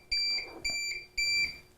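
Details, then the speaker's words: APC BE650G1 UPS with wall power unplugged: even high-pitched beeps, about two a second, each a third of a second long, warning no electricity available; unit running on battery. "And it's warning me that there is no electricity available."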